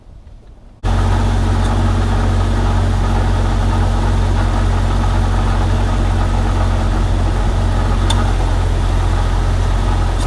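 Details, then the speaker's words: 1998 Jeep Wrangler TJ idling with rebuilt AC after leak fix and recharge: smooth, steady idle, compressor running with no squeal, rattle or cycling clicks; blowing cold, 45° at vents, no longer leaking. "It's blowing cold inside. That's not leaking anymore."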